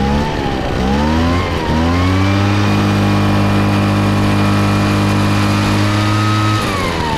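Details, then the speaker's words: Craftsman two-stroke backpack blower that was pouring raw fuel from the muffler; carburetor had been leaned way out and was readjusted. Started primed on full choke: it catches, revs up and settles into a steady, even high drone without stumbling. Normal running after the fix. "oh all right sounds good so I think that fixed it apparently somebody had uh leaned the carburetor way out probably when it was flooding and they were trying to make it run correctly"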